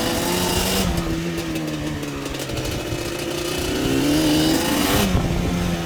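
Motorcycle engine running with a wavering, uneven pitch and a rough, irregular beat about four per second; the cause isn't clear.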